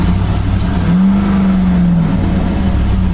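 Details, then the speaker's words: Nissan Titan V8 pickup started up: deep, raw roar swelling with revs, far too loud for stock, like the muffler was chopped off; owner suspects the muffler or converter was cut, not confirmed. "yeah it's got some exhaust going on doesn't it it really just sounds like somebody chopped the muffler off"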